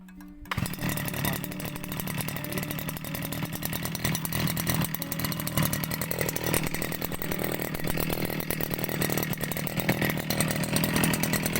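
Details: Two-stroke petrol brush cutter started with switch on, in normal setting: catches within a second and settles into a fast even buzz with no misses; normal running.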